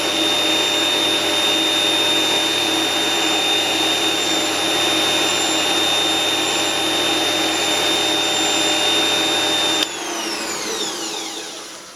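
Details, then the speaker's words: Motor of a homemade mini lathe at about 1160 rpm after adding dimpled foam sound insulation: loud, steady high-pitched hum and whir, then a smooth spin-down; still reads 80 decibels, noisy but mechanically sound. "What would you say if I said that's absolutely no different? It's still 80 decibels."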